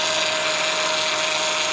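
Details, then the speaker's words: 2004 Honda Odyssey EX power steering pump at idle: a steady high whine with a hissy, frothy edge, growing louder, with vibration and bubbles in the reservoir; it is drawing air, found at the inlet O-ring. "you hear that it's going to get louder okay it's gonna get louder than that you can see it got it's got bubble and look and it looked like uh looks like there's a tomato going on in there okay see a bubble so it looks like i got an air leak somewhere okay"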